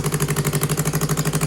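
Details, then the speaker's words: Cut-up 2015 Yamaha R3 twin-cylinder engine, freshly reassembled after not running for over a year and briefly warmed up, idling around 1,500 rpm (about 1,400 per spec): an even, steady pulse on both cylinders with no misfire; normal idle. "Sounds so nice. Yes. This sounds like both cylinders. Yeah. Like yesterday, it was like boom, boom, boom. Yeah. It's idling. It idles at like 1,500."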